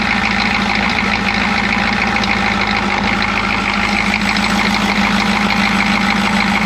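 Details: Chevy G20 van with 6.2L diesel and a grease-caked intake manifold, idle clatter with an uneven stumbling beat and dropped pulses; misfire, owner suspects a timing problem.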